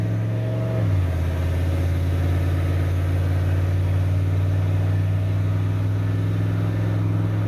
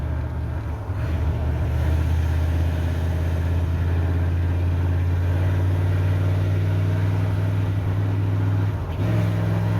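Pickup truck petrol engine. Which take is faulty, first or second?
second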